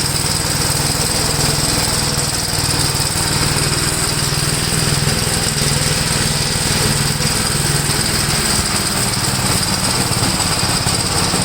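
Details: 1962 Gravely L/LI walk-behind tractor, single-cylinder, mowing a field after valve adjustment and carburetor tuning: pulls steadily under load with even firing and a light buzz on top; runs acceptably, valve adjustment improved running.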